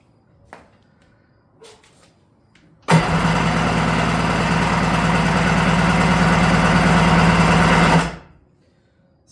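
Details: Restored vintage Kawasaki 550SX (reed motor, stage 2 port, dual 38 Mikunis): five seconds of steady starter whirr with a quick even pulse, never firing; pulse lines good but no fuel in the second line.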